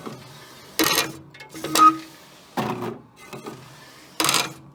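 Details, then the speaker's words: Wide-format printer feeding a roll with the glossy paper type wrongly selected: irregular bursts of harsh mechanical grinding and clatter between quiet gaps, with poor print quality; it printed fine once the correct paper setting was chosen. "then it was making this ungodly sound and the print quality was definitely not very good"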